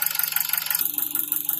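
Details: 2003 Nissan Wingroad, QG18DE petrol engine with LPG, automatic, AWD. At idle oil pressure is 0.12 MPa, and 0.33 MPa at 2000 rpm. A fast, even tapping, about a dozen hits a second, comes from the lower engine.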